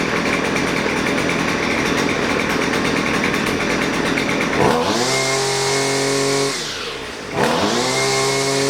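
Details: Husqvarna 128LD two-stroke grass trimmer bogging down and won't throttle up: high buzzing rev sags sharply twice and recovers; carburetor mixture being adjusted, left screw turned about half a turn counterclockwise with adjustment tool, after checking primer bulb, fuel and fuel lines.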